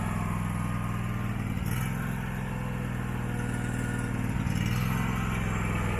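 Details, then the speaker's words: Abandoned Husqvarna mower, possibly a 2002, V-twin, first start: low thump swells and sags twice in a few seconds, no backfire; surging idle, owner suspects junk in the carburettor. "you can definitely tell it surges the carburetor like all that stuff I showed you I would not doubt if there's some junk in the carburetor"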